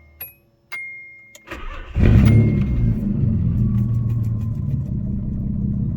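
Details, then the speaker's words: Nissan Maxima just after installing a Walbro 255 fuel pump: short pump prime buzz with slight high-pitched whine, brief crank, catches at once and settles into smooth steady idle; normal engine start. "She always fires right up. I definitely can hear the pump. It's got a little high-pitched whine to it."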